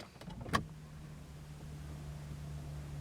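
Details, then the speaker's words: Volvo V70 III, battery fully charged overnight but showing low battery power save mode: start button gives a single click then only the fuel pump's steady priming hum; starter never engages, engine warning light on, cause not yet found. "you can actually hear the fuel pump engaging you've got an engine warning light there because the starter motor has not engaged"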